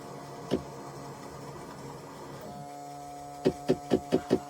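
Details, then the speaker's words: Yamaha jet ski left sitting long in dry dock, fresh battery fitted; pressing start gives a lone click then rapid clicks over a faint hum, no cranking; engine suspected seized but turned out to be a bad starter. "Um every time I'd hit the start button, anyhow, put a battery in it, started hitting the start button, and the starter would just click."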